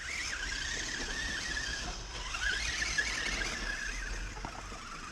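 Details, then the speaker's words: Kyosho Outlaw Rampage Pro RC truck, 3660 2750kv motor, 32dp module 0.8 gearing, on the run: faint steady high gear whine remains but much less than before. "Alors, on a toujours un peu, ouais, le sifflement, hein, mais c'est vraiment beaucoup moins qu'avant."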